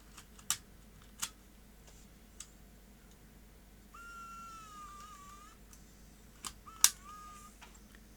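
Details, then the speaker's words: Sony DCR-IP7E MicroMV camcorder, repeated eject and close tests without a tape: crisp clicks and a short, even motor whir. The deck works normally. "all going very well so that little micro MV camcorder appears to be in good working order very pleased with that"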